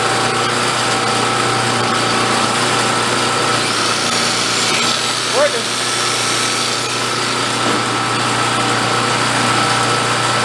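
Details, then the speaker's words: Vintage Coleman Powermate 1500 W generator, just revived and running without its air cleaner: steady high-pitched even hum, no surging; running normally. "nice sounds pretty decent looks ugly it sounds good that's all I care about"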